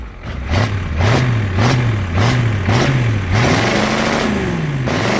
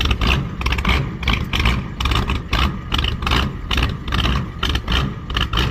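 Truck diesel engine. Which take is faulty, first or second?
second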